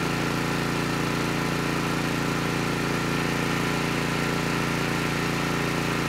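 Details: Honeywell HW5500 5500-watt generator, 337cc engine, after fitting new Hipa carburetor, replacement tank and old gaskets (insulator issue found); steady, even drone with constant beat, no misses or hunting — normal running.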